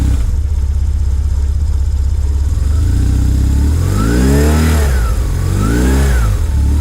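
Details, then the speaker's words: 2001 BMW R1150GS boxer twin with 35k miles, which the owner says has no issues: a deep, even idle, then two smooth blips that return cleanly to idle. Normal revving. "Sorry, don't want to torture the engine here. Just want you to hear how that sounds like."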